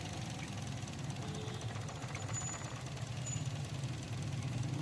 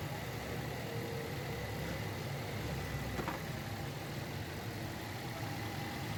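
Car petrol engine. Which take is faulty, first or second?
first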